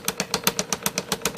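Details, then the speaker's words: IBM Selectric II correcting typewriter: regular heavy thump about eight times a second with sharp clatter on each beat from the cracked centre hub, which has a crack all the way through and must be replaced. "but I think the big one is right there. You can hear it thump."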